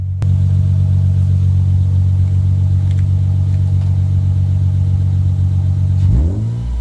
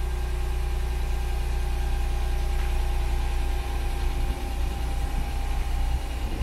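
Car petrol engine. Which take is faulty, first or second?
first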